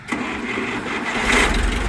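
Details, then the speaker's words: International 504 tractor with 18.4-38 rears, a four-cylinder of about 50 hp, being started at an auction preview. It catches almost instantly and settles into a steady, even rumble with no stumbling: a normal easy start. "Wow, wow, that was turnkey. I mean, he didn't even hardly touch it, and it went right now. Sounds good."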